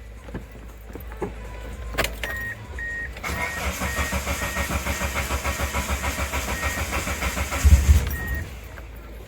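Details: Manual car in neutral, stalling traced to the fuel pump: key clicks, starter cranks and engine catches, running with an even pulsing beat and a brief blip of revs.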